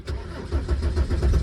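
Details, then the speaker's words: 1996 Volvo 850 2.5 TDi diesel, cold start on a mid-October morning (owner notes it sometimes fails to start when hot, suspects starter motor): brief crank, then catches quickly and settles into an even, steady low throb; normal cold start. "It does have a, sometimes fails to start when it's hot, but it's England and we're in mid-October, so"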